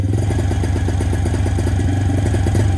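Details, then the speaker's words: 2017 Suzuki QuadSport Z90 90cc four-stroke ATV, before carb cleaning and fuel drain: rough running with uneven popping and banging like hitting a limiter, dies when revved harder; popping and stalling. "that's all it does kind of pops and bangs like it's off the limiter or something like that and then if you rev it even harder it just dies"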